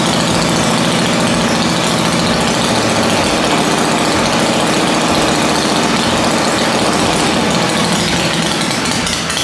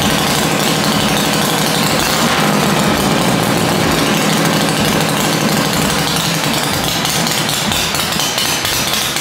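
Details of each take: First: Dale's rigid Shovelhead chopper being reassembled, running after fuel priming (old spark suspected): loud V-twin with uneven, stumbling beats about three a second, lumpy and irregular rather than a clean lope; ignition timing is out. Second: Dale's rigid Shovelhead chopper after static ignition timing with plugs refitted: loud, lumpy V-twin idle with an uneven loping beat of three to four pulses a second, steady, no obvious misses or knocks; normal idle.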